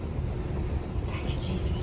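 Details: Five-year-old Maytag dryer after a kit repair for a squeaking, squealing noise: even low rumble of the drum turning with no squeal or chirp; running quietly after the fix.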